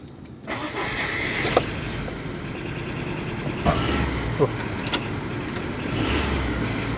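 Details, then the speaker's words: Rover 25 with K-series engine on a large battery, compression about 160 and balanced: starts better but runs unevenly with stumbles. It runs the same with cylinder two unplugged, so the misfire is traced to the coil pack. "well that's exactly the same isn't it it's B firing however it's starting better again that's starting as it should do but it's still not running quite right"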